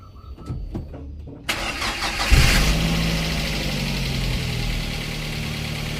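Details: Daihatsu Gran Max 1.3 after engine overhaul for lost compression (cylinders 2 and 3 read zero, hard starting): brief cranking, catches cleanly and settles into a steady, even idle with no knocks or misses; normal start and idle.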